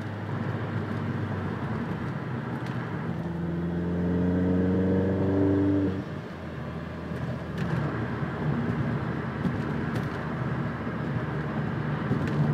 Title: Corsa VXR whining noise